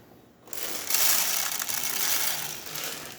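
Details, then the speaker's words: Jura Z6 espresso machine after grinder repair, medium grind setting: after a short pause, bright, gritty crunching holds steady for three seconds while brew unit pressurizes and espresso flows; normal grinding. "as you can hear definitely beans are getting grinded the the bre unit is pressurizing and we are having espresso coming out from the spouts"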